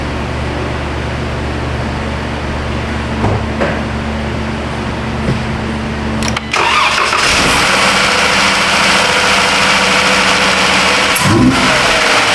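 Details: 2012 Jeep Grand Cherokee 3.6 towed in as a crank-no-start: after a substitute 30 A 5-pin relay is fitted, it cranks, catches after about six seconds and settles into an even idle with no misses. Suspected cause is the original relay hanging upside down and filling with water.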